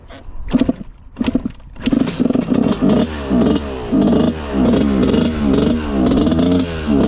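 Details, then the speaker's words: 1986/87 Honda CR125 two-stroke, first ride after pipe fix: repeated short blips each stumbling and going flat before picking up; still extremely boggy, good compression and spark, owner suspects carburetor. "first ride on this thing it is very boggy still so our pipe fix did not seem to work it doesn't seem like that makes a difference um but yeah it's it's extremely boggy"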